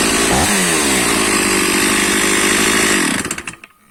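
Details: Stihl MS460/461 chainsaw, cold start after refilling petrol mixed at 20 ml oil per litre, choke and decompression switch used: brief rev blip, steady high buzz for three seconds, then clean shutdown; runs normally from cold.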